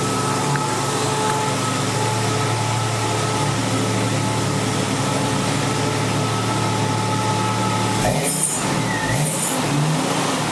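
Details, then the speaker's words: 1999 Jeep Cherokee Sport after spraying PB Blaster on the AC compressor, which caused the squeak rather than the belt: steady, even engine hum with no squeal or chirp from the accessory drive. Running normally after the fix. "Sounds pretty good now."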